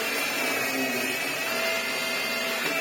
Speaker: Little whiny noise, but nothing. You can ram it into the that works really well. Vax Airs always do work really well, to be fair.